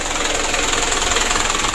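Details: Mitsubishi Canter 136 PS diesel in a tour minibus burning oil, after tune-up and warm-up, before piston ring replacement: hard clattering idle with faint uneven pulse; slight shake remains, engine needs teardown.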